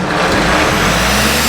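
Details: Diesel engine in the shop started after parts were refitted (it has a fusible link, blown the other day, which feeds oil pressure and temperature senders and the injection pump solenoid): catches and settles into a loud, steady, even run with a low firing thrum; running normally.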